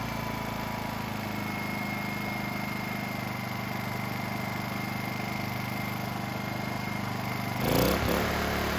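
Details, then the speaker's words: Honda EU2000i inverter generator with a rebuilt carburetor and a fouled fuel system. When Eco is switched from on to off, the steady drone lurches abruptly to a new speed with a rough shake. The cause is the missing spring between the throttle and the governor. "this is because that spring is missing between the throttle and the governor so i'm gonna go and add that right now"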